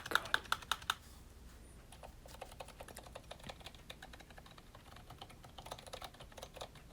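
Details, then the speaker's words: Custom GK61 mechanical keyboard build with lubed Zilent V2 62g switches and NPKC 1.5mm PBT keycaps. Uneven run of crisp key clicks with clacky, hollow hits on the big keys from loose, rattling stabilizers, which sound really bad. "let go bad those sound those stabilizers are so bad oh my god"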